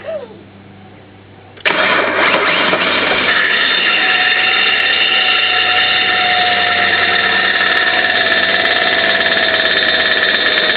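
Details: Holden VS Commodore making a loud noise on start-up: the engine catches abruptly into a loud, harsh roar laced with high, wavering, sliding squeals.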